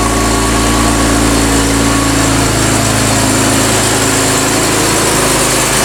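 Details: BMW E36 M3 Evo S50B32 engine on a test stand with factory ECU, first start, now at operating temperature with 40 lb oil pressure. Much quieter than before, a steady smooth idle with only slight valve-clearance rattle; normal idle.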